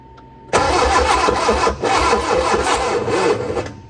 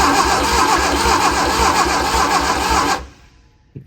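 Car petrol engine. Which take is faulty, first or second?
first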